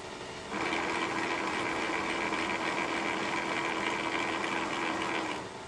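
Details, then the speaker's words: Newly machined drive gear in a Kearney & Trecker 2HL milling machine universal head, under power above the quiet ~60 RPM test: busy gear whir turning gritty and crunchy at faster RPM; gear mesh noise. "well the faster RPM certainly made some more noise"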